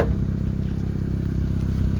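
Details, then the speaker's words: Ford Escort/Mercury Tracer (1991-2003) after fuel pump replacement, no fuel filter leaks; low, even idle with smooth steady pulse, no misses, ticks or hesitation; normal idle. "Sounds pretty good. Hasn't sounded this good in a long time. Oh my goodness, you don't understand. This car used to sound like this all the time."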